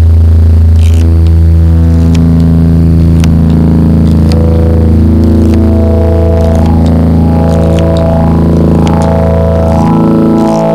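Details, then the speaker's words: Hammond XB-2 organ holding a chord: clean sustained tones, but sharp clicks keep popping through as the drawbars are pulled out; source of the key click unknown. "so all the sounds work but you still have a click i don't know where the click is coming from"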